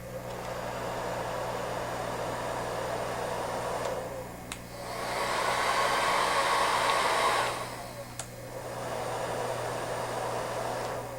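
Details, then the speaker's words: Porous foam-ring rotor hair dryer, same motor, heater and airflow as a standard unit: steady airy rush with a soft low hum, no shrill whine, quieter and deeper than the standard bladed dryer. "what you can hear is a difference not only in sound levels but also in pitch."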